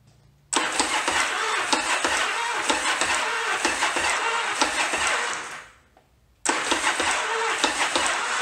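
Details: 1981 Yamaha Virago XV920 after remounting freshly rebuilt carbs and repairing plug wires, with spark confirmed: slow, labored cranking that stops and retries without firing. Compression seems okay, but wires get hot after about 10 seconds, so the starter is drawing heavy current.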